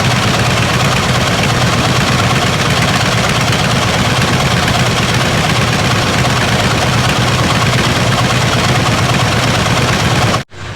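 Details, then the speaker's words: 1979 Ford F150 351M V8 idling with an uneven, stumbling miss; two spark plug wires may have been swapped, corrected by rechecking the firing order. "Alright, well, we fired it up and it still had a miss, so we went back to square one and we're checking our firing order. We have kind of monkeyed around with the wires, we meaning me, and I think I may have had two of them switched, but we got those straightened out."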